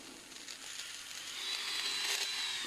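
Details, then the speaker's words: Strong 120II manicure/pedicure drill handpiece running with a high, rough whine and gritty rattle; bearings badly worn and clogged with dust, carbon brushes worn away, needs repair. "Будемо ремонтувати, бо підшипники в дуже поганому стані."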